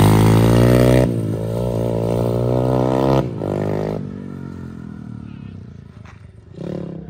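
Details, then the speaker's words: SSR125 single-cylinder pit bike, final ride after full rebuild with crash-bent frame straightened and reinforced: held at high revs with a crisp even note, easing off without stumbling. Normal running under load. "running really good everything nice and straightened out frames reinforced it should be mint so we're going to take it for one final ride and see what it can do"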